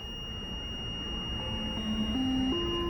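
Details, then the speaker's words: Country Coach motorhome with a Detroit Diesel 6V92, driving down the road: a steady, piercing dash overheat alarm over road rumble for about 20 miles while temperature gauges read normal; false warning, cause not confirmed. "that freaking alarm has been going off for about 20 miles but my temperatures look good"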